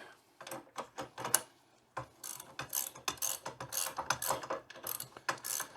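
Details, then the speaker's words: Old drill press, nearly 40 years old, being torn down for restoration. Turning the feed crank gives uneven bursts of sharp ratcheting clicks as the pinion skips instead of meshing on the flattened section of the rack. "yeah what's going on is it's flat here and I can't Craig the teeth aren't gonna chew through that"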